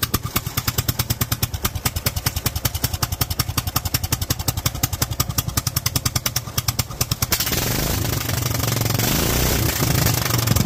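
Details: Kohler single-cylinder engine fitted with Honda GX390 carburetor during jetting: quick, even beat that idled happily, but at high revs the note turns harsh and ragged, leaning out badly at the top end.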